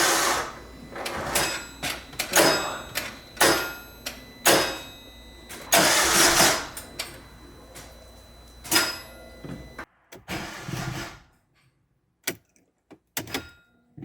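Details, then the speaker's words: Car bought as "run & drive" with undisclosed fatal damage, first start after minor repair with slight oil leak: engine catches in ragged surges, stumbles, nearly dies; rough running, engine judged done from oil-starvation damage. "Let's try to get this thing started. It starts up and runs really bad. I'll probably just turn it off."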